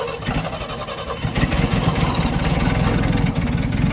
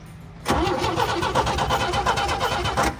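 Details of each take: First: Old International Scout slant six that had not run properly in years, after ignition points adjustment (weak coil suspected): catches and settles into a steady, slightly lumpy low rumble with an even rhythm; normal running. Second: Old International Scout slant six, not run properly in years, cranking during ignition diagnosis: starter churns at a steady, even rhythm but never fires; no spark, later traced to faulty points, coil possibly weak.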